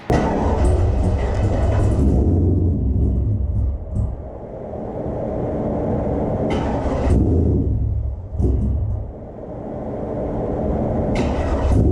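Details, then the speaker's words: Supercharged GMC truck just fitted with new PCM running a base tune: fires and runs rough with uneven surging revs and lumpy rumble, dipping and recovering; still needs tuning, as earlier data logs were taken at different temperatures. "but obviously it's going to need a little bit of tuning still, which I mean, it wasn't out of the question."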